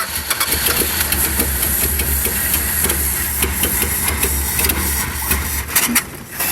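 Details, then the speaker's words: Old six-cylinder car, field find being revived, dwell meter connected, wiring issue between ballast resistor and coil: uneven idle with irregular stumbles and surges about every second; rough idle, timing suspected, not confirmed. "the dwell hasn't gone that far out of wh it sure sounds like the timing is"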